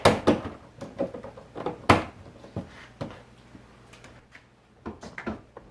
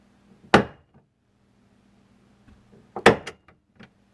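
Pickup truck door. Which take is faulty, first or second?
second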